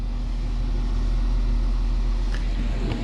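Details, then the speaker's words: Newly installed water pump in a DIY RV van build (2008 Freightliner MT-45), first run on a 15 A fuse, priming: low steady buzzing hum with slight pulsing chatter as it draws water into the lines. "uh for the water pump uh itself priming uh so this is the first time I'm turning on the pump and I hear it going"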